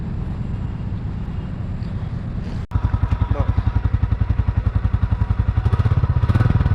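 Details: 2024 Royal Enfield Classic 350 Stealth Black single-cylinder: after start-up, even steady thump about 220 beats a minute with no rattle or hum; healthy idle.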